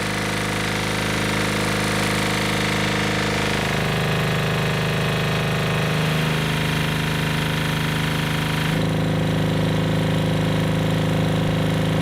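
Steady, even engine-driven pumping, about four beats a second, pitch stepping down as load changes; runs smooth and healthy.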